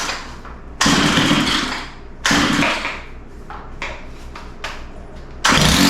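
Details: Stihl FS91R four-stroke line trimmer that starts and idles but won't take throttle: engine blips in short bursts then sags to a lumpy uneven idle; idle had to be sped up, likely rich idle mixture, low-speed adjustment next, carburetor likely to be pulled.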